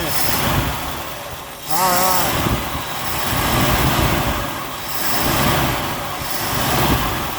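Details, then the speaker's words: Buick Skylark with 30-year-old gas in a leaking tank, run off a gas can after a carburetor rebuild and an oil fix (oil light had been on); it surges slightly, then settles into a steady, purring idle that sounds healthy. "down it's actually idling carburetors are really not that hard to rebuild everybody's just afraid of them see that it's just purring yeah"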